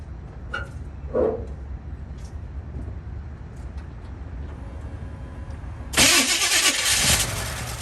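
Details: 1964 Chevy C10 off the road for 7 years, with HEI ignition and an electric fuel pump, on a replacement battery: a brief burst of steady starter cranking with no firing or catch. No fuel is coming from the pump, cause not confirmed.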